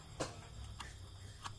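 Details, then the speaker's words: Single-door fridge, light on but not cooling (29.8 °C inside): quiet hum with a few sharp separate clicks about half a second apart and no compressor run; failing compressor start relay. "lampunya hidup tapi gak dingin dan disusul dengan bunyi Cak cok Cak cok kita akan coba colokin katanya Ada apa Bang Ada bunyi stakstack ya colokin"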